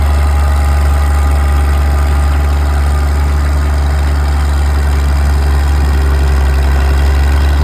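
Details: Old Caterpillar D6 diesel dozer warming up at idle, with a deep, steady, even thrum and no knocks or rattles. It smokes a bit but sounds good; normal healthy diesel idle.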